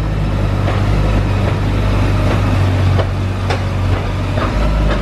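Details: Honda S2000 rolling, rear limited-slip differential the owner complains of: steady drivetrain drone with faint irregular clicks; probably a worn, binding diff.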